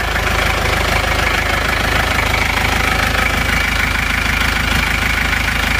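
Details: Isuzu Panther diesel after engine repair with quality liners: steady idle clatter with even, regular firing, no missing beats; temperature stable, no exhaust smoke, engine smooth and like new.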